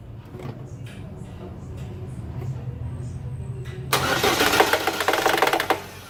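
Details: GM Cruze engine a day after head gasket replacement, on start: starter cranks, then engine catches with a loud rattly burst of quick uneven ticks fading as it settles; source unclear.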